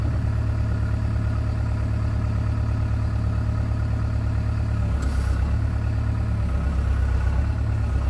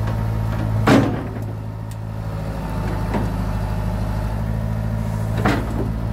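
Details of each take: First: John Deere 490E excavator with Hitachi hydraulic pump, computer bypassed to straight throttle and hydraulics: deep steady diesel idle drops and roughens as hydraulics bind up and drag the engine down, before limp-mode fix. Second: John Deere 490E excavator with a Hitachi hydraulic pump put in limp mode, computer bypassed, cable throttle: diesel holds a steady drone while the hydraulics work. It is slower but doesn't bog under load.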